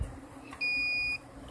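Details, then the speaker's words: Rooftop HVAC unit that lost power: meter continuity check gives one clean steady half-second beep through a fuse; all fuses are good. "all fuses are good."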